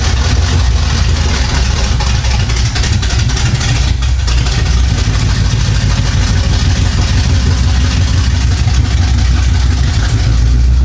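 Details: 1975 Chevy Monza 2+2 with 350 small-block V8 swap, sat about 20 years, after new distributor fitted: loud, deep lopey idle holding steady with throttle blips, headers warming; normal idle and revving.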